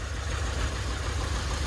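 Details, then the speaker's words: Volvo V60 diesel non-runner started on a tiny battery; loping, uneven idle with one beat per cycle missing, sounding like it runs on only four cylinders; misfire suspected, cause not confirmed. "so go on mate give it a try sounds like it's only running on four to me"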